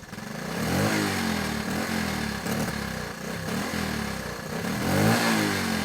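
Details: Honda ATC 110 barn-find ATV after carburetor work, possibly still cold: small single idling unevenly, now and then stumbling with revs sagging and recovering; intermittent sputter at idle, cause unknown.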